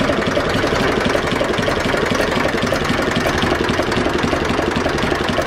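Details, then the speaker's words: Zetor 4911 diesel tractor, sat in a dry shed over 10 years since last run in 2012 (engine renovated before storage), restarted after topping up coolant with no head leak; even steady idle clatter while warming, no misses, running sweetly. "top of the cooled we'll give another start okay let's get a bit of heat into it but uh running sweetly"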